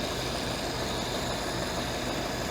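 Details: Ford-script Willys army Jeep flathead after the carburettor was cleaned: a quiet, smooth, even idle with a soft low hum, no ticking or valve-train noise and no misfire; running sweet.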